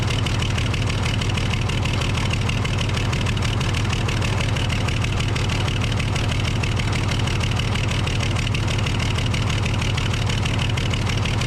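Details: Case loader with 12-valve 5.9L Cummins diesel, losing power and overheating: heavy idle with a rough, slightly uneven thump about three beats a second; misfire from a bad injector.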